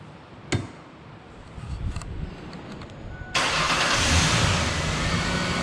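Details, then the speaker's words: 2003 Ford Explorer XLT 4.0 V6 AWD after alternator replacement: quiet clicks, cranks, catches quickly and settles into a steady even idle with no knocks or squeals; charging 14.3-14.4 V, normal start and idle. "It's charging now. There's no noises. Everything looks great. Well, it's running great."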